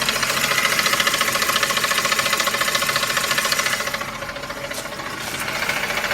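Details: Ford F150 at idle: fast, even tinny ticking, roughly three and a half per second, from a worn belt tensioner and a couple of pulleys; truck was quiet after replacing them.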